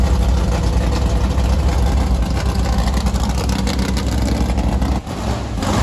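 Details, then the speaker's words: 1968 Chevy Camaro drag car with 555 big-block, first fire-up after 20+ years: loud deep rumble with uneven, lumpy, stumbling beat; misfire, one spark plug fouled and needing replacement, no leaks found. "so what we're saying is for a first fire up well attempt we're fairly happy we gotta change the plugs because one of them is definitely stinking but we got no leaks"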